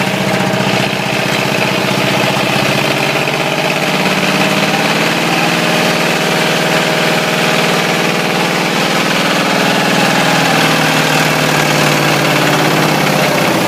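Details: Ford 351W V8 with a spun rod bearing, abused until it dies: deep, loose, irregular knocking on the idle, roughly three per second; rod knock.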